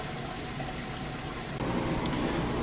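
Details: Maytag Centennial top-load HE washer, rinse cycle fill after the wash drain: steady hiss and gurgle of water pouring into the tub, a touch louder partway through; an ordinary, healthy fill.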